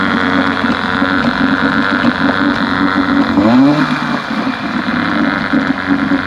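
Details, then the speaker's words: 1971 Johnson 9.5 HP outboard after magneto rebuild, carb cleaning and fuel pump upgrade; previously wouldn't stay running without choke; morning test run, steady buzzy two-stroke drone without choke, brief dip then recovery; normal running. "i cleaned the car because she wouldn't stay running without being choked so let's give her a little test run this morning see how she's doing"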